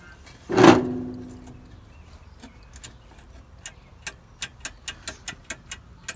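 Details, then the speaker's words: 1978 IH Cub Cadet 1000 tractor sat 20 years, won't turn over with the key and makes a buzzing noise: engine silent, key on, light steady tick about five per second from the hour gauge ticking along normally, showing it gets power. "you know what it is it's the it's the hour gauge there it's kind of ticking along"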